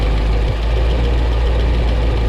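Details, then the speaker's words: Small-block Chevy V8 idling with valve covers cut open for running lash adjustment: deep rumble with a light fast tapping that the owner cannot isolate; valvetrain suspected, not confirmed. "I know you can hear that tapping. Cannot isolate it to save my life."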